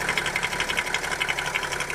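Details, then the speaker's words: BMW X5 E70 M57 diesel, heard at the open oil filler neck: crisp, even ticking about nine per second from the camshaft-driven vacuum pump's floating drive coupling; normal, not a fault. "нормальная работа привода слова и привода вакуумного на фото он должен включать потому что он плавают"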